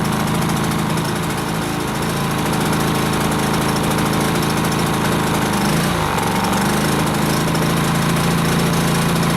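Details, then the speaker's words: Briggs & Stratton P2200 generator on its first fill of gas, just switched to eco mode and running under load: a steady, quiet drone with a brief pitch dip and recovery. The box rates it at 59 dB at 7 m, and it is running normally. "pretty quiet okay according to the box it's supposed to be 59 DB at 7 me so I'm just going to say about just switched it to eco mode"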